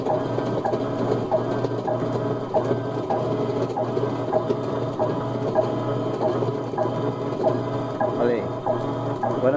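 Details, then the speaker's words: Electrolux LT12 washing machine that hummed without agitating, now after capacitor replacement. Low steady motor hum with regular gearbox click about once a second as agitator reverses; normal agitation. "vamos colocar em xeque a outra vez aqui nos fios vocês vão ver que haverá uma mudança urgente na bateria"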